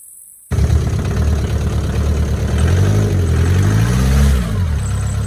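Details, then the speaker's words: Mk4 car, after the starter was removed, greased and refitted to cure a whine after every start: a short crank, then the engine catches at once and revs up smoothly with no starter whine; fixed and healthy. "this is called starter because not work but I can hear I can already already taught her uh spins pretty good check it out very nice"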